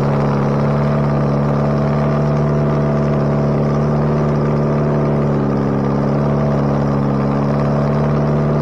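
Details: Bobcat 642B skid steer after head gasket replacement, working: even, steady drone at constant pitch, no knocks, misses or surging, pulling smoothly; runs pretty good now. Normal running.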